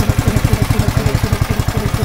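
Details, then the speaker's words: Honda GX160 compressor engine just started after about 3 days unused: single cylinder chugging very slowly and unevenly; idle too low, bad for engine life, so throttle is raised. Idle speed set too low. "Putarannya sangat lambat sekali. Ini sangat lambat sekali untuk putarannya. Tapi nanti tidak awet untuk mesin."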